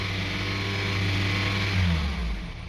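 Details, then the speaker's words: 2002 Honda CR-V 2.4L held at 3000 rpm not accelerating well, engine note surging up and down unevenly; rough idle and stalling, cause not yet found. "See, even when I press the gas at 3000 RPM, the engine is not accelerating well. The engine is up and down, up and down."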